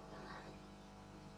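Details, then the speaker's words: Homemade tube regenerative radio, switched on; steady low mains buzz with evenly spaced hum tones and no station audio: hum but no reception, circuit fault unknown. "is a buzz that's it absolutely nothing else which is really disappointing"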